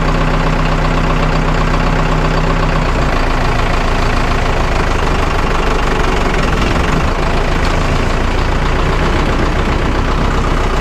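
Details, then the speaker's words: Vermeer 1800 diesel wood chipper bought at auction, first start in four years: steady idle clatter that deepens slightly as the clutch engages the drum, then holds even; healthy engine, feed wheels not turning (owner suspects solenoid or fuse). "oh I had to be really hard to track it down but at least it does run that's a plus"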